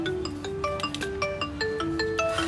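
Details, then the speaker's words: Xiaomi Mi Note 5 with intermittent, fading ringer problem, after the ringer/speaker unit was replaced; clear chiming ringtone, crisp, no buzz, rattle or distortion: normal ringtone playback. "कोई problem नहीं ए रही बिल्कुल मस्त चल रहा है और रिंगटोन हमारी"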